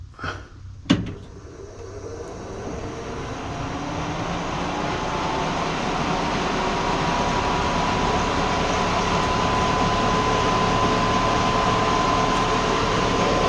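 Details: 1955 Willys Jeep CJ-5 heater blower after the hub rim was bent back for clearance and greased. It spins up to a steady, even rush with a faint constant tone and no rubbing or scraping; normal heater blower.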